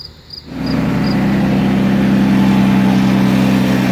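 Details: 2006 Toyota Avalon 3.5L V6, restarted after reassembly to check the serpentine belt system rattle (it had overheated; water pump was first suspected). Engine catches and settles into a smooth, steady idle with an even hum and no belt rattle or chirp: normal idle.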